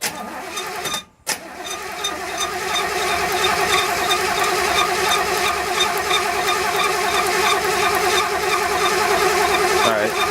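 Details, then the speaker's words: 1966 Chevelle being rebuilt, fresh battery: coil power disconnected so it cranks without firing to build oil pressure; starter spins the engine at an even three pulses a second for about nine seconds, no combustion. "let's disconnect the power to the coil right here I'm pulled that quo do that alright just give her just crank it until I say so we just won't get the oil pressure built up if it hasn't"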